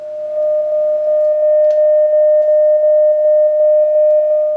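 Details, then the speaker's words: Vintage Oahu 230K 6V6 tube guitar amp after rebuild with new coupling caps, played through a substitute shop speaker at high volume: clear steady test tone with no buzz or distortion, showing the original field coil speaker was blown. "Clear as can be. So the old internal speaker is defective."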